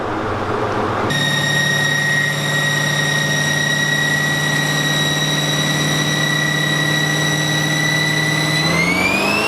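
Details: Engine on the dyno after Holley EFI manifold repairs, strapped down for power pulls: strong even pull holding steady pitch, climbing smoothly at the end with no knock or stumble; healthy engine under load.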